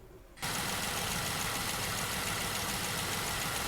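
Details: Jeep JK Wrangler Rubicon, Pentastar V6, 228,000 miles. Idle with a light, fast ticking just after adding Liqui Moly lifter additive, with no audible difference from before. Lifter or rocker wear is suspected.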